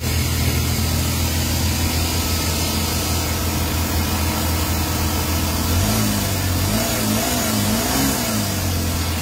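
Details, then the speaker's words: Suzuki K6A engine after a second control unit swap and vacuum leak check, A/C on: steady fast idle with rough uneven drone and slight wavering surge; previously stalling and shaking, now idling too high and very noisy. "So nakita niyo guys narinig niyo na sobrang ingay talaga ng makina. Wala siyang magandang menor. Kanina namamatay, nanginginig. Ngayon naman ah mataas yung menor."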